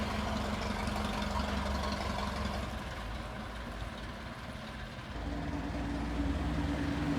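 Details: Restored 1921 American LaFrance fire engine rolling down the street: a slow, loping four-cylinder beat and low rumble, easing off then picking up again, smooth and even; fine restoration, healthy normal running.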